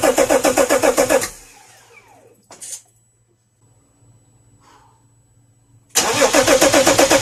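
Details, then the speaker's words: BMW M57 diesel at its first start after engine installation: it fires and settles into an even, quick clatter at idle, drops out briefly, then resumes the same steady beat. "Друзья, она запустилась. Я в шоке. Блин, главное, чтобы все нормально было. Первый запуск прошел успешно."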